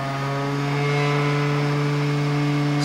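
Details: PC built from spare parts with an overclocked Intel E2160 in a dented secondhand case: steady loud hum with even overtones at one pitch as the spinning optical drive shakes the flimsy case. Optical drive vibration noise.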